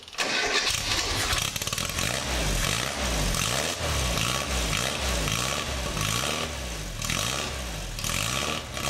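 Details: Swift FF95 Formula Ford, stone-cold first start (previously hard to start, misfire): fires on first crank and settles into an even, crisp idle with no stumble.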